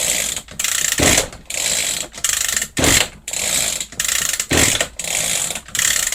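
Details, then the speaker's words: Echo GT-200i string trimmer with easy-start system, choke on after an air leak was fixed at loose carburetor screws. Repeated rasping pull-cord strokes about one a second with no firing: cranks but won't start; carburetor then removed for cleaning. "off H it's not starting looks like we got to delve a little bit deeper into this"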